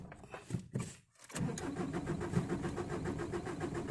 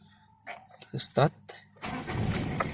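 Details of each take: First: Ford Ranger diesel, long unused, hard to start in the morning or when cold: several weak cranking bursts, about five attempts, before it catches and settles to a rough idle. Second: Ford Ranger diesel with a hard morning/cold-start complaint, long unused and cold overnight: after some voices it catches on the first crank and settles into a steady clatter, a clean, healthy cold start.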